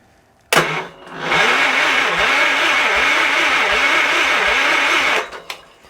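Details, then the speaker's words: 1978 Wheel Horse C-121 tractor cranked from a nearly dead jump box: sluggish, labouring crank with compression pulses two or three a second for four seconds; slow cranking from weak battery supply. "She sounds good. Turns over slow because my jump box is about dead, but sounds good."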